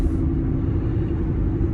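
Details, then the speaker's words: Cooper Endurance Plus tires loud since rotation, balance and minimal alignment; constant low droning roar at steady highway speed, no rhythm or tone; owner suspects tires, possibly wheel bearings, unconfirmed. Tire roar. "but ever since then, these tires have just been loud, or the vehicle has been loud."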